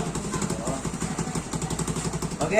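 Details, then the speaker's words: Honda Beat injection scooter that stalled and wouldn't idle, after cleaning the dirty injection intake/throttle body: steady even single-cylinder idle that holds on its own without throttle, no stumbling or dying. "Oke, sekarang kita tes. Oke, motornya sudah stabil lagi."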